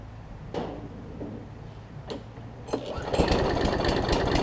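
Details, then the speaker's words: About 15-year-old John Deere JA62 push mower, Briggs OHV, sat unused and reportedly leaked gas: repeated pull-start cranking, rough uneven chuff, never fires; not priming, only air heard; gummed-up varnished carburetor, cleaned afterward. "we got it's not priming right you just hear a bunch of air going through there"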